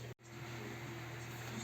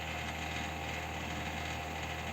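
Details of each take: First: Desktop PC after repair (shutting off after 3 minutes, loud hum; failing 1 TB hard drive): revived CPU cooler now runs virtually silent, steady low hum and faint airflow from the large 120 mm fan, no rattle or grinding. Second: Desktop PC fan giving a steady loud drone and howl with a rough rattly edge from a dry bearing; owner reports system shutting down after about 3 minutes, CPU at 21°C, moderate dust, hard drive showing errors.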